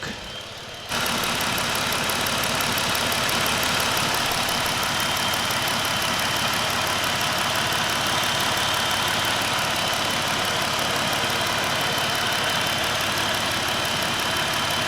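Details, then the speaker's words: 2022 Jeep Wrangler Unlimited, 3.6 V6 Pentastar, which kept stalling and not starting with low-voltage codes (aux battery suspected), started after the battery was charged overnight: brief crank, then a smooth, even idle with no knocks or misses. Normal idle. "Boom, yes, it is fixed. Jeep Wrangler. Oh yeah, it's running real nice. 3.6."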